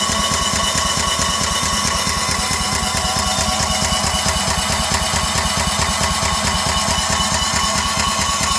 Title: No start 1